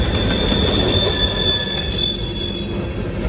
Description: CN on the Guelph Sub, heading to London with lumber, brakes squeal as the consist slows to drop the covered hoppers in the Thorndale siding to wait while the rest of the train heads into London.